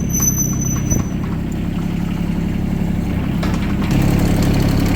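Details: Yanmar 3TNV70 three-cylinder diesel (ex-JD Gator) just swapped into a CAT 300.9 mini excavator, idling: low even chug about four beats a second, no misses or knocks, no smoke, much quieter than the old engine; healthy idle.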